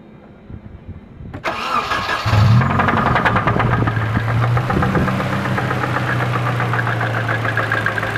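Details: Nissan KA24DE cranks, starts, idles with rapid fairly regular knock about three per second; suspected rod knock, possibly bad bearing, at 170 miles.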